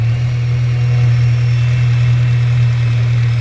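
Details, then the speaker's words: Scirocco with rebuilt MK6 Golf engine, first start on 4–5-year-old petrol: deep, steady hum with even pulse and no ticking or knocking; a smooth, healthy cold idle. "This cold starts like that."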